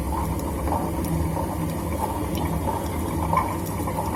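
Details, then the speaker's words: Super General SGW16100M washing machine, about two years old: heavy low whooshing roar with faint regular throb, motor runs but drum barely turns; drum bearing broken, balls fallen out. "इसका तो बेरिंग पूरा निकल गया है। हाँ, जो बेरिंग में होता है ना ऐसा, जो बॉल्स वो सब निकल गया है, तो दिखाई दे रहा है पूरा।"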